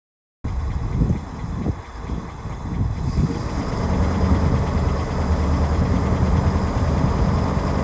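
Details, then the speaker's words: 1967 Lincoln V8 at idle, heard at the tailpipes after exhaust leak repairs: deep even burble, no ticking or puffing from the pipework; much quieter, exhaust sounds sealed. "all right let's see how we're doing back here okay yeah that sounds much quieter so I got these two plants here I don't hear any any leaking at all now"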